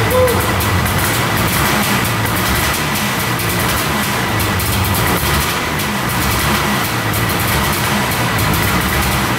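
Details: Arctic Cat Panther 440cc two-stroke snowmobile, started on choke after a hidden broken ignition-coil wire was repaired: steady fast choked idle buzz with no stumble or misfire; running healthy.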